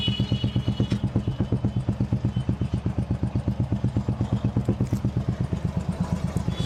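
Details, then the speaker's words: Royal Enfield Classic 350 after hydraulic tappet replacement and two to three days of riding: steady, even thump of the big single idling at about 170 beats a minute, no tik-tik ticking; healthy, quiet idle. "यहां पर आप लोग देख सकते हैं hydraulic change करने के बाद आप लोग को अब इंजन में थोड़ा सा भी आवाज नहीं आ रहा है अब एकदम न्यू बाइक की तरह इस इंजन का आवाज आप लोग को सुनने को मिला"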